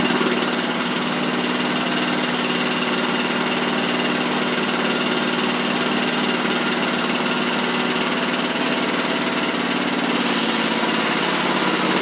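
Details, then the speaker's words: Huskee Supreme riding mower after replacing drive belts and pulley: steady, even engine drone with constant pitch and no knocks or slipping noises while driving. Normal running. "all right so I got everything back on I'm going to show you that it drives like it's supposed to now"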